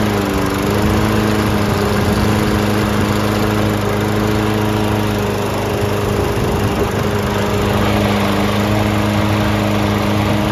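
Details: Lawn Boy 20-inch self-propelled mower after carb cleaning (the no-start was blamed on a badly oil- and dirt-soaked filter): the small single-cylinder engine holds a steady, even drone with no surging or dying; running properly.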